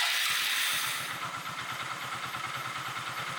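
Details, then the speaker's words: Engine after head work with valves set, rocker clearance adjusted and 900 ml oil filled, first start: fires quickly, settles to even idle about three beats a second with no head or rocker clatter; normal idle. "Starting പക്കയാണ് അതുപോലെതന്നെ sound എപ്പോഴും ഹെഡിന്റെ noise ആണ് നമ്മൾ എപ്പോഴും check ചെയ്യേണ്ടത്"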